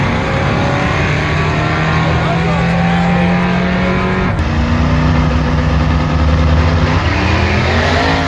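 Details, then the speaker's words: Twin-turbo third-gen Chevrolet Camaro on a drag pass, 5.84 s at 119: loud full-throttle note sagging and rising in waves; boost oscillating, causing large rpm swings. "I don't know if you can hear that on camera but the Boost is oscillating so bad"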